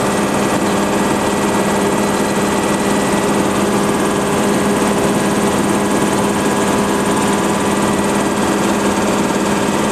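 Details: Compressor on initial startup with all storage empty, so gauges climb slowly, filling storage: smooth, even hum with steady tones, no knocks or surging. Normal running.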